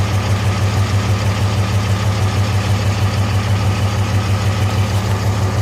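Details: 2005 Cummins diesel with white smoke: steady idle with rhythmic low pulse about three times a second, slight lope; injector #3 found bad despite passing injector test, its exhaust manifold runner hotter than the other five.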